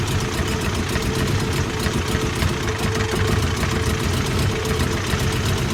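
Loud four-cylinder idle with a lumpy, shaking beat and uneven pulses instead of a steady rhythm, a rough idle.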